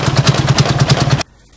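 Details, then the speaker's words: Freightliner Cascadia DD15 diesel with a cam housing problem: heavy, regular hammering knock at about nine a second over rough running until shutdown, caused by loose rocker shaft bolts letting the valve train pound. "don't know what's going on with this engine it sounds very bad sounds like something is broken inside for sure"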